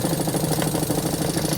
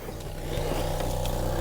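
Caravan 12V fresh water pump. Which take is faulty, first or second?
first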